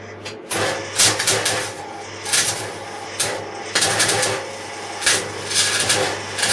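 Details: MIG welding 3 mm (1/8 in) metal, voltage at maximum, shielding gas at 3 L/min: wire speed raised while welding, uneven hissy arc firming into the crisp crackle of correct feed. Wire feed speed too slow, then correct.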